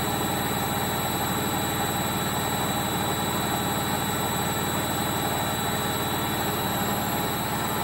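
A loud, steady roar like a jet engine runs through the fast spin, pointing to worn drum bearings.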